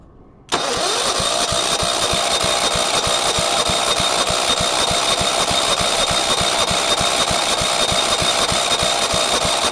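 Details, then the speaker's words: Commercial 135 industrial engine on a go-kart lawn mower, spark plug reconnected: steady starter cranking about three beats a second with no catch or firing; cranks but won't start, electrical or compression problem suspected. "sounds like it's trying a bit but remember it says a tumy so it's a 135 industrial commercial"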